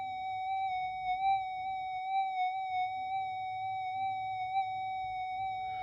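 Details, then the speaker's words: Repaired Minelab GP Extreme metal detector on the workbench, threshold turned down, amp high, held near the speaker: a steady mid-pitched threshold tone with a slight slow 50 Hz mains warble over a quiet bench. Normal threshold tone. "But even on the workbench, you know, you can just hear that 50 hertz warble coming through. That's pretty standard."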